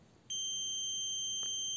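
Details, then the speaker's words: Car starter motor brush holder tested with a multimeter on continuity between brushes of the same polarity: a steady, high, unbroken beep with numbers on the screen shows good continuity, so the brush holder is good. "Se escucha el sonido y aparecen los números en la pantalla del multímetro."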